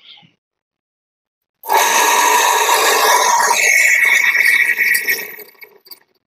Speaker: ini ada pompa jet PAM suaranya kasar tapi kita cek dulu Seperti apa kondisinya biar kedengaran suaranya saya colokin